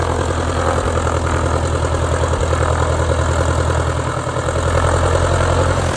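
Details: 1946 J-3 Cub engine idling at first start after a four-year restoration, fuel lines primed: an even low drone with steady firing pulses and no misses or knocks. It ran great. Normal idle.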